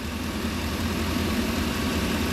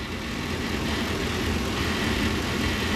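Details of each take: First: 2002 Ford E350/E250 with modular V8, check engine light P1132/P1152, after disconnecting and plugging the PCV: steady even idle, smooth hum, the earlier buzzy noise gone; bad PCV valve suspected, fuel trims going positive. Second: 2002 Ford E-350/E-250 van, 5.4 modular V8 (thought to be), check engine light with codes P1132/P1152: steady idle with light, uneven buzzy rattle, suspected fluttering PCV valve; vacuum leak investigated via fuel trims.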